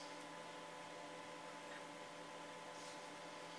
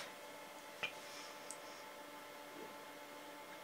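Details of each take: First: 1980s vintage hard drive in a slow DOS system, after reformatting to map out bad sectors for seek errors, loading Duke Nukem: steady faint whir with soft ticks, no seek clatter or grinding; normal drive access. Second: 1980s vintage hard drive under DOS: quiet hum with isolated sharp clicks a few seconds apart while loading; heads failing to seek, classic seek error from degraded platter surfaces.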